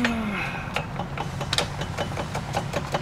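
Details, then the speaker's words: X3 idling: loose, uneven metallic rattle transmitted up the drive shaft from the free-sliding spline; fixed by greasing the spline. "but you can hear we're getting some rattling there that transmits up the drive shaft"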